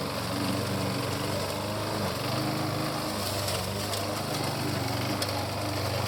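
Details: 1988 Alco push mower, Briggs and Stratton auto-choke engine, running again after a non-start repair (diaphragm, a common issue), mowing with the old blunt blade: steady, even drone holding speed under cutting load, no misses or surging; normal running.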